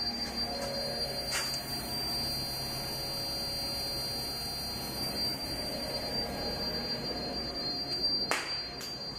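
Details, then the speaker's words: Repaired PDP11 running a CNC control, jog on: thin, steady high-pitched whine from the power supply, possibly a bad capacitor. "i don't know what's up with the uh the the lines are visible when the jog is on and you can hear a bit of noise from the power supply"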